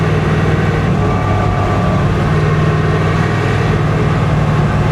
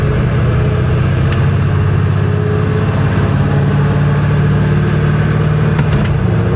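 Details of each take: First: 1966 Impala salt-water flood car with about 4.10 rear gears, roughly 45 mph at 2,500 rpm; a steady low drone and hum follows road speed and the rear end sounds rough, so worn gears or bearings are possible; rear differential noise. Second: 1966 Chevrolet Impala, salt-water flood car, rear differential suspected salt-water contaminated, axle bearings expected bad: on test drive, steady low road drone and engine hum while cruising, no whine or howl with speed; rear end sounds quiet and healthy.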